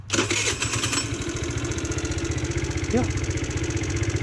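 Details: GY6 scooter with new performance air filter refitted and secured: fires straight up on the starter and drops into a steady, even idle putter with no misses or hunting; engine healthy.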